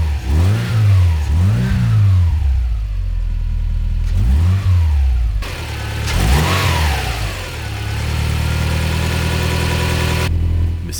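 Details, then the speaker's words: Subaru Impreza boxer engine just rebuilt with reconditioned heads and new parts, first run: smooth idle with several clean throttle blips, revs rising and falling evenly, no knocks or rattles; seems faultless so far. "que ça ressemblerait bien à un sans faute pour l'instant."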